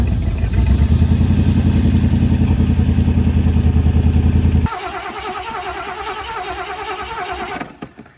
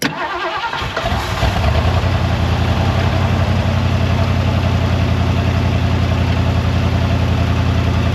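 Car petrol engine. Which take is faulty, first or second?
first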